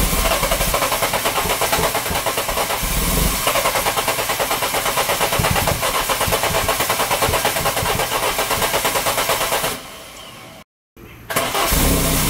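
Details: Citroën engine with camshafts mismatched to its ECU; loud, uneven chuffing and a big noise at the exhaust manifold, lumpy beat that briefly cuts out; live data normal, catalyst checked for flow; rough running.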